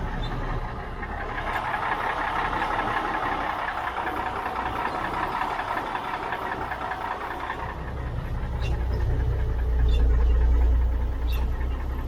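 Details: 1977 Mack R model diesel truck, about 45 years old: a steady, rhythmic starter chug at three to four beats a second with the accelerator slightly pressed, but it never catches. The owner suspects no fuel is getting up there.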